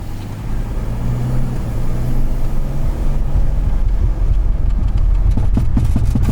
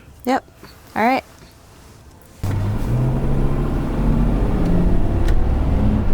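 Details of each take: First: Volkswagen Touareg (7L) driving at 30 mph on throttle: heavy low rumble then rapid irregular banging underneath; the driveshaft center carrier bearing has completely disintegrated. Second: VW Touareg test drive after replacing the disintegrated driveshaft center carrier bearing with a JXB Performance upgraded carrier: a few chirps, then steady road and drivetrain rumble pulling away, no more knocking from the driveshaft; normal driveshaft.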